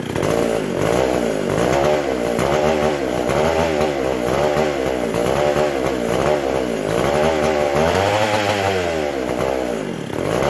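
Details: McCulloch SP125 chainsaw after carb rebuild, throttle shut: screaming high revs surging and sagging about once a second; owner hears an air leak somewhere, carb not pumping fuel; a large gap between carb and intake was later found.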